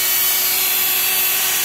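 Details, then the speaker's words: Washing machine motor (660 W, rated up to 15,000 RPM) on a TDA1085C speed regulator holding stable revolutions via tachogenerator, turned all the way up: steady high-pitched whirring whine with brush hiss, even and unwavering; normal full-speed run. "very very very very fast. I don't know you can hear me or no guys but ramps is just a crazy absolutely crazy absolutely crazy."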